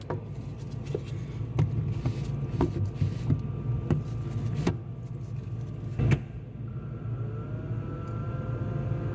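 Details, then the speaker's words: GE side-by-side refrigerator, fresh food section warm from a broken door switch: with switch pressed, low steady evaporator fan hum near the air damper amid handling clicks; fan runs normally, stops when released. "I'm gonna reach down here and push the switch in as if the door was closed and we'll see if we can hear that fan motor kicking on"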